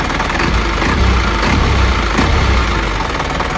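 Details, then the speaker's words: Isuzu 4HG diesel (Elf truck) after overhaul, throttle blipped: a deep, steady clatter with a firm low rumble and no knocks or misses. It picks up cleanly, throttle response is fairly good, and it sounds healthy. "Dan buat respon gasnya juga udah cukup oke"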